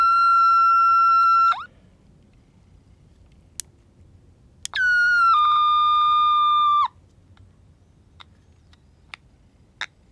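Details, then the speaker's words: Vintage Aiwa AM/FM transistor radio under repair, capacitor removed: loud steady whistle near 1.3 kHz rising almost out of hearing range, cutting off, then returning lower; amplifier oscillation squeal, suspected shorted detector diode, not confirmed. "it's going up it's almost out of my hearing range now did I kill it so is that a function of I think it's a shorted detector diode"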